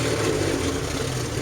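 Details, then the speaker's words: Jeep started after sitting three months, flooded with water and with a dead battery: a choppy, stumbling idle that clears when revved. Owner suspects a sticking fuel injector; the cause is not confirmed. "The overall look right now, I'm not sure why it's so choppy. There's no cam, so I don't. Maybe the something is sticking or something. I think it's a fuel injector is sticking. But once I hit the gas, it clears up."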